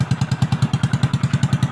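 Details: Honda XRM/Wave/Dash single-cylinder motorcycle, kickstarted after repair of flood-water damage: rust, and a bearing that had eaten into its set. Even thumping at about nine beats a second, loud because the exhaust pipe is cut; it runs steady and healthy.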